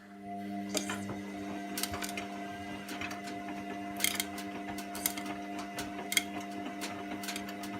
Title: Wash and spin and clicking noises